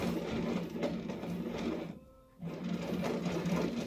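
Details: 2008 Jeep Patriot rear wheel bearing, removed: rough, gritty whirring as the loose bearing is turned by hand, radio music behind; bearing worn out, junk.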